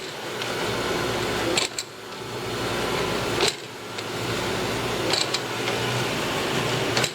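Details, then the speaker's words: Grizzly G0763 6"x18" automatic surface grinder, y-axis table traversing to its limit stops: smooth, even motor hum with a soft clunk about every two seconds as it reverses. Normal traverse. "so the table the y-axis is currently moving out until it hits limits which over here over those is mainly hit that right there now comes back the opposite direction"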